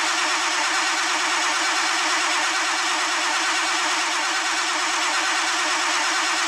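Steady fast whirring crank that keeps going evenly without the engine ever catching or firing; it cranks but won't start.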